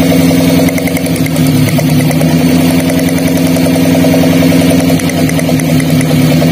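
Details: Daihatsu Gran Max with a limping, low-power engine at idle: lifting the cylinder 4 coil gives no spark sound while cylinder 3 sparks. Lumpy, uneven idle with stumbling exhaust pulses, one cylinder dropping out from a dead ignition coil.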